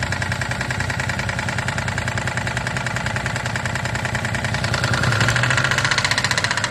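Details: 2008 Daihatsu Move L175, KF non-turbo engine, 4AT, 180,000 km, power loss and knock on highway, heavy oil use: steady light knock about two-three per second over idle, sharpening with revs; very large play found in No. 2 piston pin.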